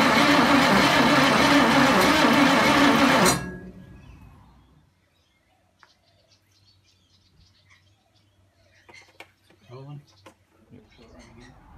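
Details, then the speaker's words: 1974 ZG Fairlane engine, first start attempt: it has spark but backfires through the carby. Owner suspected vacuum issues, then questioned the firing order. Starter spins the engine about three turns a second for three seconds, then goes silent without starting. "well it's a different day we had to go firing it off the other day and we're getting just backfiring through the carbie and i thought it might be just some um vacuum issues"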